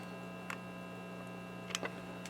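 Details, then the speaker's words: RCA 66X1 multi-band radio, radio section being fixed: only a quiet steady mains hum with faint ticks, no station or even static while tuning; no signal gets through. "tuning the radio like I said it's just a on here or anything at all you would think you'd get some kind of static or something but there's nothing"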